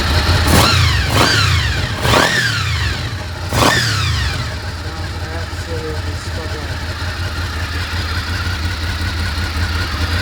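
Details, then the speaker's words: Honda VFR800Fi Generation 5 V4: a few throttle blips, then a steady, even idle with no hunting or surging after replacing the wax idle unit and fitting a replacement throttle body; idle now sits spot on. "You can hear the idle now sits absolutely spot on."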